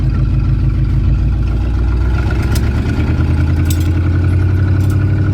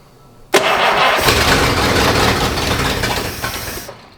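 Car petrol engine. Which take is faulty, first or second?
second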